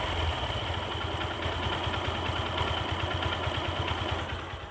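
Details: Hero Hunk single-cylinder motorcycle after engine work with new compression rings; starts and revs cleanly with steady even exhaust beat, no knocking or rattle: healthy engine.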